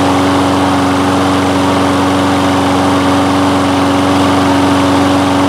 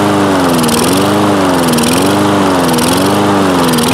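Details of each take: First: Toro Recycler mower, Kohler engine, after replacing the carburettor main jet with one from an aftermarket carburettor: smooth constant hum, no surging or hunting as before; normal running. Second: Toro Recycler mower with Kohler engine, long unused: engine speed rises and falls about once a second, steady hunting; improves with throttle held open or choke forced closed, lean running.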